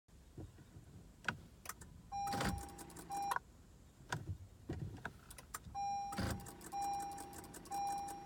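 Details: 2015 Acura TLX, random no-crank worst in hot weather, battery not the problem: dash chimes and a few clicks repeat on each key turn, starter never cranks, engine never turns over.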